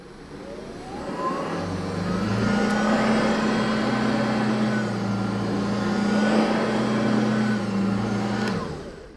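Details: Hoover ONEPWR HEPA+ cordless bagged upright vacuum, model BH55500PC, newly assembled with battery installed: the motor spins up with a short rising whine, then holds a steady, even hum with no clicking or rattling; normal running.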